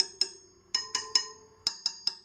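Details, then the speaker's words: Sur Ron Light Bee wheel spokes tapped one by one: short sharp clinks, some duller and thud-like rather than pinging; the dull ones are loose spokes needing tightening. "they don't make that pinging sound like kind of like a thud I haven't found one that's really bad but I'm sure there are"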